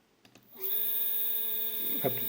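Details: Two 3D printer stepper motors wired in parallel, sharing 2 A peak, feed rate 1000: after half a second they kick in with a loud, steady mid-pitched whine and high overtones.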